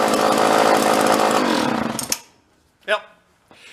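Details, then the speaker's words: Vintage John Deere chainsaw rescued from the trash: revs hard then fades and dies at steady held throttle, surging; fuel starvation suspected, probably needs a carb kit. "It's got a little bit of it's oscillating. It sounds like it's actually stalling for fuel a little bit. It'll rev up and kind of die, rev up and die."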